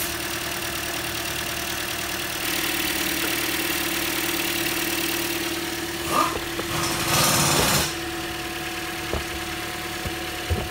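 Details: 2015 Toyota Corolla, 73,000 miles, with codes P0300–P0304 and P0010 (intake camshaft position actuator circuit), after repair and code clearing: steady even idle hum, constant low drone, no knocking or stumbling; normal idle.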